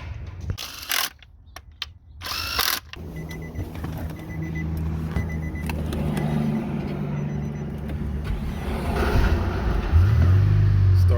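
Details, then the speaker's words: Infiniti G37 with replacement engine, crank-no-start fixed by reseating loose injector connector under intake: few cranking bursts then catches and runs steady and even, low hum, no misfire or knock. "found the problem there's a plug back there for the injectors it just loose so we should start now"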